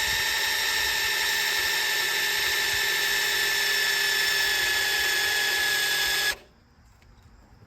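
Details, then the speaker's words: Fresh 302 small-block Ford in a 1970 Falcon, oil pump primed before first start with a drill on the distributor shaft: steady high whine under growing resistance for about six seconds, pump building oil pressure normally. "crank it up to two and after it spins the harder it gets not just the battery there that's oil pressure on your battery in just here it's fighting right now it's fighting a ton of oil pressure"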